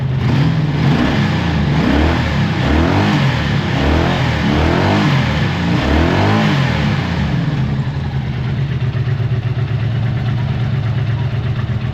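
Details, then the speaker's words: 1984 Honda V65 Magna VF1100C barn find, fuel pump working, all pipes hot: uneven lumpy idle with irregular surging and stumbling; runs rough, lost power while riding, suspected running on fewer cylinders or fuel starvation. "I'm going to let it run for a bit might take it around the block again but there's something not right all the pipes are hot so we suggest it's running an all4"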